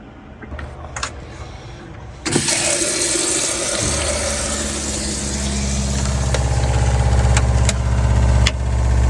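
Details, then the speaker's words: RV water pump under bottom bunk beside water heater, getting louder over the last month; loud hum throbbing about four times a second, vibration felt through the whole RV; worn pump replaced with a low-noise unit. "So I don't know if you can hear it, but it vibrates everything. It's got like a pulse to it."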